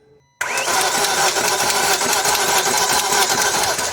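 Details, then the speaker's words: 2001 BMW E39 540i V8 with a reported timing noise: engine runs with busy, fast metallic clatter located at the front in the chain section; timing chain slapping, tensioner suspected gone flat. "now it's coming forward it's definitely up in the chain section next i say we pull the tensioner and look at the tensioner to see if that's gone flat"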